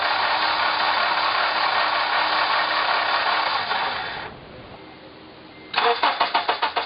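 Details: 2003 Honda Element EX AWD cranking after starter fluid was sprayed into the intake manifold, with spark on all 4 cylinders: even starter chugging about four beats a second, but the engine never catches.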